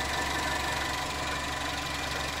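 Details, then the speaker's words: Toyota Carina E XLi 1.6 estate with 285,400 km, idling: a steady idle with a faint high whine over the engine note. The owner suspects the alternator bearing is starting to go. "Yeah, it runs pretty decent. Sounds like the bearing on the alternator is starting to go, but you know, it's an old car,"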